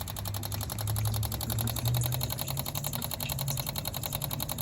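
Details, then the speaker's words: Electric fuel pump on a 1983 Honda Shadow VT750C project motorcycle, tested with line run into a container: rapid, steady ticking over a low hum as gas shoots out; pump working normally. "there we go fuel pumps working I can hear gas shooting in here"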